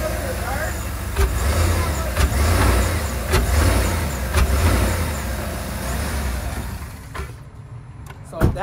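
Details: 2012 Chevy Tahoe with an owner complaint of a humming noise and wobbling while driving. A steady low droning hum is heard under road noise, and a worn wheel hub bearing is suspected.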